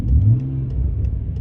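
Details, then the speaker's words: BMW 535i: deep engine rumble under revs with faint regular light knocks about three times a second; owner suspects engine knocking after camshaft mispositioning, not confirmed. "oh that's engine knocking no subscribe for part two"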